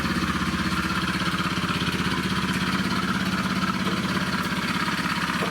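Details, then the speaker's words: Honda Vision 110 scooter at 19,200 miles, recorded from underneath at idle: an even tapping about three per second under the engine note, a deep bottom-end knock. Exhaust, induction and airbox were ruled out; the engine was later replaced. "I've chopped a whole lot and as you can hear it's uh it's not happy let's get it switched off that is really quite noisy"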